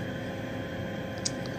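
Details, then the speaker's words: 90% furnace inducer draft fan after water drained from poorly pitched flue pipe; steady even hum, bubbly gurgle gone. Pipe had filled with water, suspected cause of pressure switch not closing; permanent fix is re-running flue for proper pitch. "well I don't hear the bubbly noise no more yeah so this whole pipe is full of water"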